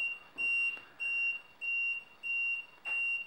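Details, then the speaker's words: Solar-powered wireless infrared perimeter beam detector, just activated by pulling its battery tab: high-pitched beeps about 1.6 per second, each a third of a second long, warning that the beam pair is not yet connected or lined up. "that is the beam beeping at you to say it's not connected"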